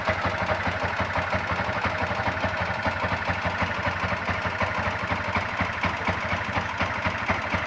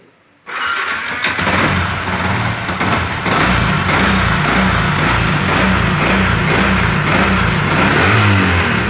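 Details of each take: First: Yamaha MX King (YR15): a quick steady ticking, about four per second, over the idle, coming from the cylinder head; valve float caused by a high-duration camshaft. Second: Yamaha MX King engine, previously ticking in the cylinder head from a floating valve caused by a high-duration camshaft, after head work: starts first try and runs smooth and even, no top-end ticking; smoother than before.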